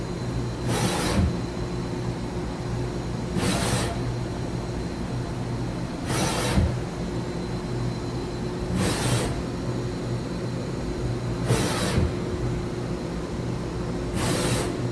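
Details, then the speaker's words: 2013 Mazak HCN 4000-III horizontal machining center, axes on rapid traverse stepped from 25% to 50% to 100%: steady hum with even rasping sweeps about every 2.5 s; ballscrews and thrust bearings sound healthy. "that is 25% increasing my Rapids to 50% [Music] thanks to a hundred percent [Music] [Music] ballscrew thrust bearings everything that sounds good"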